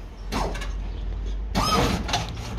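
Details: 1967 Chevrolet Caprice lowrider after maintenance with fresh trunk batteries: short bursts of electric hydraulic pump whir with clicks as the switches are hit. The pumps spin up promptly and run evenly, reacting well front and back, so hydraulic pump operation is normal.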